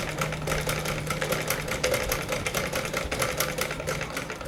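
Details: Sewing machine after stitch-length adjustment, screw tightened to give maximum stitch size: quick, even clatter of stitches at a steady pace with a light hum underneath; sewing smoothly and normally.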